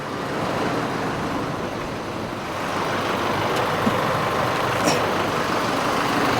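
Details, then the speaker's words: Holden Colorado diesel idling after an oil catch can install: steady, unbroken rumble with no knocking, hunting or misfire; engine sounds healthy. "That's it. There's nothing to go wrong, so it's because I haven't done anything really."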